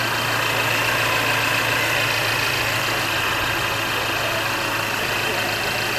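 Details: Smooth, even idle with a steady hum and no knocks, ticks or hunting from a 2017 Mercedes-Benz E300 on first startup after an engine flush and fresh AMSOIL 5W-40 synthetic oil change; normal healthy idle.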